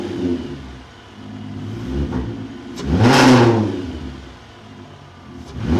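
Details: 24-valve VR6 (MK4) right after installing an ECS Luft-Technik polished cold air intake: clean, smooth revs rising and falling twice with a deep intake whoosh on each blip; normal revving, engine sounds healthy.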